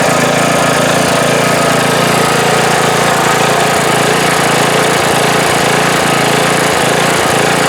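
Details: Briggs & Stratton Intek mower engine after a head gasket replacement, valve adjustment and oil change. A loud, steady small-engine clatter holds an even pace with no misses, surging or knocking: normal running after repair.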